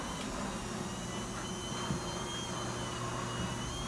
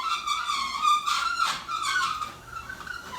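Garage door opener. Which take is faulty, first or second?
second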